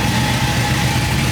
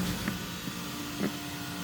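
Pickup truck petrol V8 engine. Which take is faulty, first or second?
second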